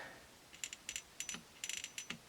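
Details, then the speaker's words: 1951 Stromberg Carlson Velvet Action record changer after relubrication: light, crisp ticks in small clusters as the mechanism turns, the pawl normally clicking over its ramps that stop reverse rotation. "you can hear that little piece under there, which is around here tick tick ticking as it goes around those little ramps, but they stop it going the other way."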